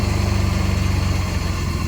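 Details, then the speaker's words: 1983 Mercedes W126 280SE restarted after over 10 years standing: engine catches and runs with a steady, even low rumble, smooth regular beat, no misses or knocks; normal running after fuel-feed trouble. "Ça prend. Là, c'est normal."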